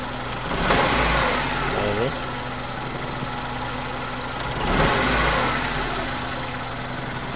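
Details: 1997 Suzuki Baleno, running rough and weak: idle stumbles and surges unevenly, sagging near stall; misfire traced to leaking spark plug wire boots and an injector.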